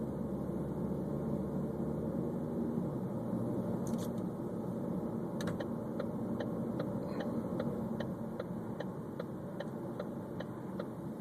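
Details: 2013 Ford Focus petrol idling: sharp regular tick or rattle about two and a half times a second, described as grinding/rattling, cause unknown.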